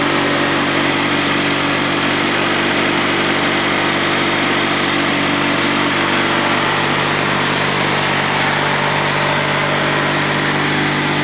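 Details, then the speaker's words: Honda 3813 lawn tractor with a GX360K1 twin engine, run after sitting a year and a fuel pump fix: a smooth, even, steady hum with no misses or knocks, described as sounding like a Honda car engine. Normal idle. "These things are so closely related to the Honda car engines, it's no surprise that it sounds like one. Alright, so that's the sound of the GX360K1 running, and on to more features."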